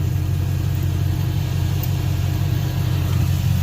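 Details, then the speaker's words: Sweptline truck with a vacuum-secondary Holley carburetor, started after the carb repair: even steady rumble well above normal idle with no knocks, because the throttle return spring was unhooked; reconnecting it fixed the idle. "Got to hook back up the return spring. There we go."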